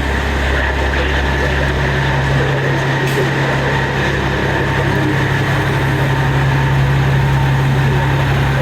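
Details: 1994 Peterbilt 379 diesel after full restoration, idling before its first road trip. A deep, steady idle holding one even pitch for nine seconds, with no knocks or misses; normal, healthy idle.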